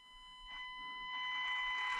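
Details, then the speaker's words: Stock ESC of Panda Hobby Tetra K1 micro crawler on gear one (lowest of three speed settings), near full throttle: steady high-pitched whine near 1 kHz rising with throttle; super loud and super weak, poor low-speed modulation. "that's absolutely horrible and it's super loud too and super weak on gear one"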